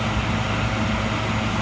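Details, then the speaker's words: Philco Noisless 6800 BTU air conditioner from the 1960s–70s, with its compressor running. A steady, even, quiet hum with no knocks, rattles or squeal. It has a full charge, so normal compressor operation. "That compressor, why it's right down. Can't really get the sound of it on there. It sounds really good. Really, really good."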